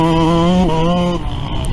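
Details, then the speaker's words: YZ125 two-stroke on track at full throttle after going from 450 to richer 470 main jet: crisp, steady high-revving note dropping cleanly off throttle; runs stronger, temperature not climbing at sustained full throttle; running right. "Alright, I don't know if you can hear it on the video, but it seems to definitely be running stronger with that 470 main jet compared to the 450 main. A little bit richer."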